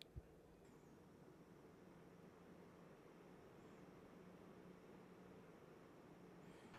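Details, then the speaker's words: Asus ProArt RTX 5090 in an NCase M3 under gaming load, GPU fans at 1500 RPM and Noctua G2 radiator fans at about 1200 RPM: a very quiet, steady airy hiss with a faint low hum and no rattles. Normal fan noise. "So this is a sound level that you can expect when you're gaming. The fans on the GPU are at 1500 RPM. These are bigger fans, so noise profile is not very bad."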